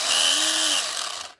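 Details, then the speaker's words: FLY Renault 5 Turbo slot car on its base, run from a power supply before grinding in the gears with toothpaste: high, gritty electric whir with a scratchy uneven edge; rough gear mesh. "I've connected up my cables from my power supply okay you can hear how rough that is"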